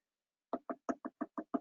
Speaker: So this one's a little thicker. Don't know how well you can hear that, but that's, one way of checking.